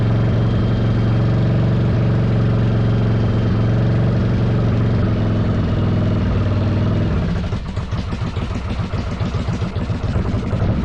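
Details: 1995 Virago 1100 V-twin on half choke in a closed shop, after EGR and vacuum line work: loud, lumpy, wavering idle with uneven pulses that settles lower; owner suspects unsynced carburetors, not timing.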